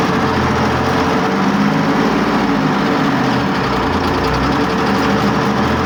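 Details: Test run of a YPR 756 armoured vehicle engine after repair: deep, steady diesel rumble at even idle with no knocks or misses. Repaired engine sounds normal.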